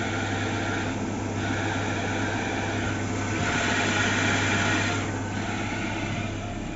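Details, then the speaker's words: Maruti Suzuki Eeco at idle, sound from gearbox/bell housing below: raspy whirring rattle that appears and swells when the clutch pedal is pressed even lightly, quiet otherwise; worn clutch release bearing, needs replacement. "इसके अंदर clutch bearing का noise है तो इसको चलो किस तरह short out करना है मैं आपको बताता हूं इसमें क्लच बेयरिंग रिप्लेस करनी पड़ेगी"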